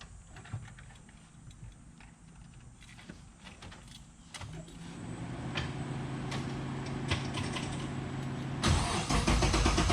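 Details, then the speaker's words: LS3-swapped Mazda Miata with a no-start; fuses checked and relays swapped. Starter spins the engine with a steady even drone but it never fires: crank no start, no fuel delivery; fuel system being diagnosed further. "Still no fuel, so let's get a little more in depth."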